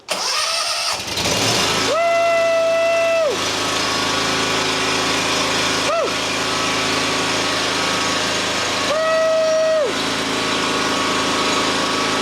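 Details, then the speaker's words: John Deere X350 lawn tractor after replacing the failed module that prevented starting: engine catches quickly and settles into a steady, even single-cylinder idle with short beeps over it; running normally. "Well, everything works now. Got a fresh module in there, but of course, new module,"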